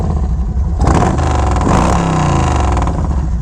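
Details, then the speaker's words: Yamaha Road Star 1700 Silverado carbureted V-twin after the shop raised the idle to fix dying at idle: deep, even rumble picks up cleanly through a rev and settles back without stumbling; running smoothly. "but that's alright we're back in the game is running a little bit better now as you can tell"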